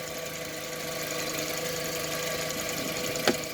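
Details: 2003 VW Beetle 2.0L AVH, 77,000 miles, EVAP leak code P0456, at operating temperature after purge valve test: even steady idle hum with constant pitch and one brief tap near the end; idling normally, purge valve fine.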